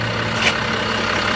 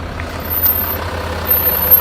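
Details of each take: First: 2014 Range Rover Sport 3.0-litre with Brembo brakes, after cleaning and anti-squeal paste, brakes at operating temperature: even road and engine hum through gentle stops with no squeal or grinding; brakes now quiet. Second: 2014 Range Rover Sport 3.0-litre with Brembo brakes, rolling slowly: thin, very high-pitched metal-on-metal squeal over low engine rumble, louder depending on wheel rotation; brake squeal/grinding.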